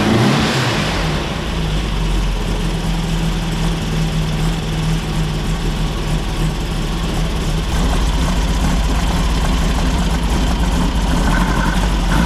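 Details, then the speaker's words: 1964 VW Beetle flat-four, after the engine is refitted and the 123 ignition is put back in, having previously refused to idle: steady, even chug at idle with no popping, misses or backfires. "okay so the car is now running which is great fantastic I'm quite relieved because before it was it wouldn't even idle you know"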